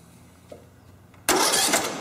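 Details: Riding lawn mower during basic electrical troubleshooting, starter fed from the battery via the solenoid with the spark plug wire pulled so it won't start: abrupt, steady, churning whir as the starter spins the engine without firing; cranking sounds healthy and strong.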